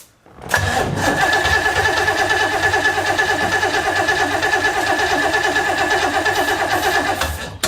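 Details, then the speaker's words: 1970s big-block jet boat engine whose fuel tank held water and goo, now running on fresh gas from a 3-gallon auxiliary tank. It catches and runs evenly for about seven seconds, then cuts out abruptly. Owner suspects vapor lock. Stalls after starting. "Oop, hated that. Okay, well, I may have just vapor locked it."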